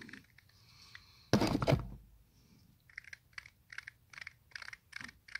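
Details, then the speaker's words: Toyota MR2 strut top mount bearing, removed and turned by hand: dry, gritty scrapes repeating about three times a second; the bearing is worn and rough, and the new mount turns smoothly. "oh you can really hear this one listen to this I don't know so check out the Baron in this one okay okay so check out the bearing in this one hopefully you can hear that imagine that that's got a turn"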